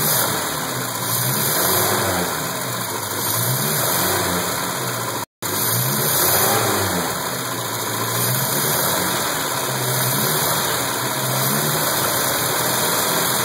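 Revs rise and settle to an uneven idle that stumbles and sags every couple of seconds, the unsteady beat of a misfiring engine.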